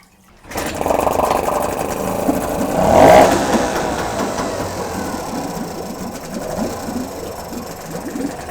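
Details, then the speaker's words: Small outboard (motor 3 of 3), water flowing normally: catches and settles into a quick, fairly even putter about three and a half beats a second; runs normally. "В принципе, все 3 мотора работают хорошо."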